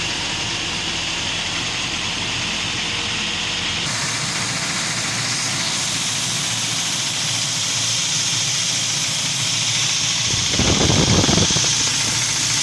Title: стук в двигателе на уаз патриот 2ч